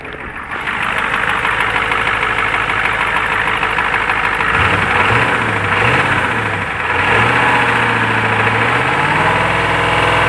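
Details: Warm used '93 IDIT diesel in a '93 truck at idle: hard repetitive knock of about three per second, worse as it warms and present when decelerating with the key off, so not fuel. Owner suspects an over-extended lifter hitting the piston, or rod knock. Unconfirmed.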